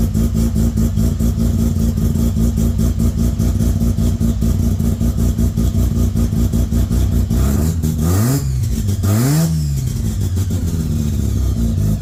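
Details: 13B bridgeport rotary in Danny's Corona, first start after fixing a no-spark problem, igniters on: loud choppy idle with fast lumpy pulse, then two quick revs rising and falling cleanly; runs strong.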